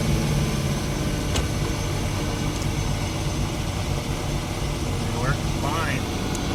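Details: Nissan RB26DETT idling on the old Apexi Power FC ECU, confirming the car is fine and the Haltech Elite 2500 ECU is faulty: steady even idle, smooth low rumble, no misses, knocks or surges; normal idle.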